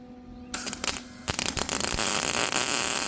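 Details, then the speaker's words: MIG welding expanded metal decking back onto a 2017 5x8 utility trailer: arc stutters and pops then harsh crackle; weld ugly because the arc couldn't burn through the trailer's tough paint. "Yeah, that one's ugly because I couldn't burn through the paint. Dang it."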